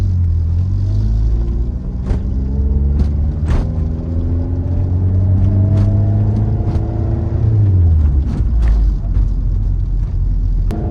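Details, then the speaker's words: 1988 Honda CRX Si with swapped B18C Type R engine and transmission (original B16A gearbox failed), driving: gear whine rises and falls smoothly through shifts with no clicking. Much quieter than before, with a slight shifter rattle; bushings may need tightening. "Everything sounds a lot quieter than it did. I got a little rattle here in my shifter. Uh so I may need to tighten up some uh some of the bushings in there. But the transmission is working and sounding really nice."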